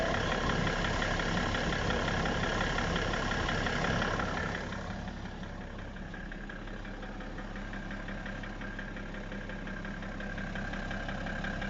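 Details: BMW E60 535d diesel at idle: steady, even knock nearly three per second over the running note; owner unsure what is knocking in the engine, source undetermined.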